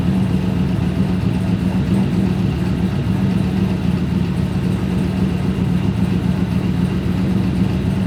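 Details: Turbo Trans Am WS6 V8 after cooling system fix, refill with water-based coolant and bleeding: deep steady idle, even low rumble, no knocks or ticks; low-speed fan slightly warped, noisy when stopping.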